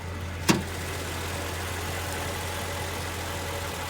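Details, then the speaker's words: 1999 Mercedes SL500 V8 petrol, 171,000 miles, at idle: steady, even low hum, runs pretty smooth with no knocks; owner notes a very tiny misfire when cold and purge valve clicking. "It runs pretty smooth."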